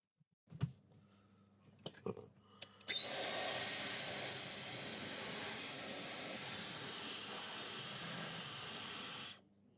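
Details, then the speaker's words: Dyson Supersonic HD03 hairdryer after swapping components and pulling a long hair from inside: a few clicks, then a clean, high, airy whoosh that starts instantly and holds steady. It no longer struggles at the lowest speed; the motor runs healthy. "seems to work absolutely perfectly though. It's not not struggling to start up."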